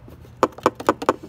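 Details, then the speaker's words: 2016 Kawasaki Vaquero/Voyager 1700 fairing: a loose clip under the radio, meant to sit in a hole, makes light plastic clicks about four a second inside the fairing; fixed by removing headlight or speaker pocket and zip-tying it. "I'll take your hand put it underneath the radio here's a clip that's supposed to be in a hole there"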